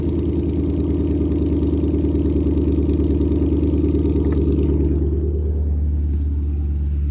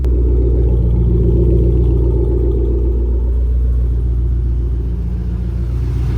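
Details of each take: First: Lowered car after headers loosened and cat-delete pipe refitted with more chassis clearance: steady low idle rumble with fast raspy puffing at each firing, exhaust leak at a joint, later fixed. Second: Startup after X-pipe leveled and exhaust rubbing on chassis fixed; loud, even, deep idle with steady beat and no hiss or ticking from the exhaust, no leaks, normal idle.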